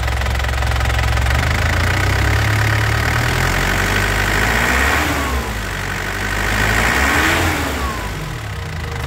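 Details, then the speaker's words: 2007 Isuzu Panther LS Turbo diesel, no smoke from the exhaust. Two throttle blips, each bringing a light chirping whistle that rises and falls with revs, no scraping: normal, healthy turbo whistle. "Suara turbonya kelihatan, Lur. Ada suara ciw ciw ya. Itu suara turbonya, Lur. Ya, suara turbonya masih bagus, masih sehat turbonya."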